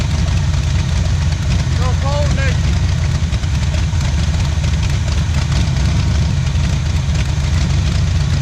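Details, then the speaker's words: 1977 Pontiac Firebird V8 ex-drag car, abandoned about 36 years, first run after revival on a cold start, left idling to open the thermostat: deep, heavy idle with an uneven, choppy lope and no knock or tick; a normal big-cam idle. "you can feel it oh I can feel it right here and listen at that chop woo doggy"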